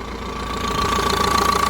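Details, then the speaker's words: 2014 Vauxhall Vivaro 1.6 CDTI diesel van idling evenly with a faint steady whistle, no stumbles or hunting, after the wobbly air mass sensor plug was pushed in; normal idle, though an engine failure warning appeared afterwards. "plug on the back of it is all wobbly i've just given that a bit of a push and it seems to be running fine it sounds lovely doesn't it"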